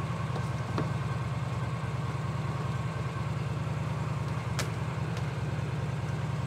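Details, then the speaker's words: 2018 Mahindra Retriever 750 V-twin with a charging issue that kills batteries, running voltage about 11.99 V: low, steady even thumping idle with nothing knocking or ticking; normal V-twin idle. "It seems to be killing batteries, so I'm sure it's accurate. It does, it sounds like a V-twin lawnmower."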